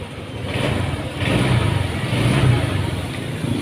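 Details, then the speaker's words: Honda Vario 150 scooter after new piston fitted: engine runs smooth and even, rising briefly on the throttle with no knocks or rattles; healthy idle after the repair, no problem. "Ini bisa teman-teman dengarkan suaranya ya. Ini suaranya udah halus, tidak ada masalah."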